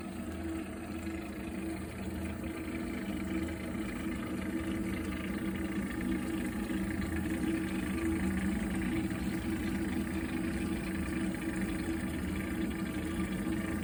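Continuous low droning rumble that holds steady throughout while the boiler heats water, an abnormal running noise.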